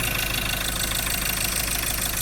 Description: engine noise and engine misfiring found out glow plug cylinder no 3 damage fail down cylinder wall cause damage internal part